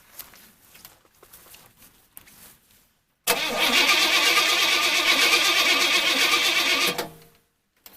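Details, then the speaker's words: Engine cranked by a portable jump starter with no gas in the tank: starter spins the engine evenly for about four seconds with no firing; cranks but no start because it is out of fuel. "That's pretty wild. Alright, well, she's definitely out of gas, but I might have"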